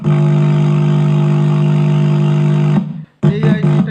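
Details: 2.1 home theater amplifier, TDA2030 IC: a harsh, buzzy, distorted tone blares steadily from the speaker, then cuts out; faulty amplifier IC to be replaced.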